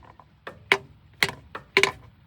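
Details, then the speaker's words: Hammer drop test on valve stems of a 1962 Buick LeSabre straight-eight stored outside for decades; some taps ring and rebound while others land flat and dead, like hitting the head; four stuck valves found, both intake and exhaust. "That one's stuck. That one's not. That one's stuck. That's stuck. That's a real good one. Hear that? It's just like you're hitting the side of the head."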